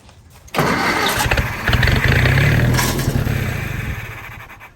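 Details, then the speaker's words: Willys-powered Army skid generator, cold, WD-40 in cylinders: engine catches abruptly, runs rough about four seconds, then fades and stalls, blowing a dirt dauber nest out; proves spark present, likely insufficient fuel. "whoa did y'all see that it started and died which means we've got spark which is good"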